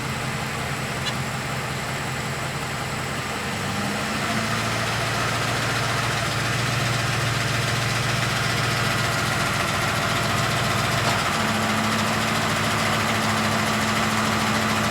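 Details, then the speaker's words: 2007 Ford F-150 Lariat 5.4L Triton V8, hood open, revved to about 800 rpm: light steady rattle over the engine drone, occurring at 800–1,200 rpm; owner suspects VCT cam phaser rattle. "okay y'all hear that okay that was the phaser rattle"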